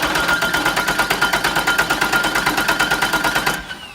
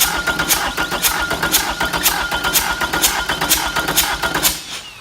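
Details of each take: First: Known good four-cylinder engine cranking in a relative compression test, with a current probe on the battery cable at 100 A per division and the cam sensor on a scope. Four even, repeatable compression events with a steady beat: normal, balanced cranking. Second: Four-cylinder diesel cranking in a relative compression test, with a current probe on the battery positive cable and the cam sensor signal on a scope. Firing order 1-3-4-2. Number 1 glow plug is removed, so only 3 of 4 compression events show and one compression push is missing each cycle.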